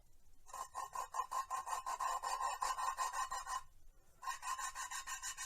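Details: Valve lapping by hand on a 1970 International Harvester 345 V8 cylinder head, coarse compound paste, suction-cup tool: gritty rasping strokes about three a second with sandpaper edge; valve still cutting into its seat.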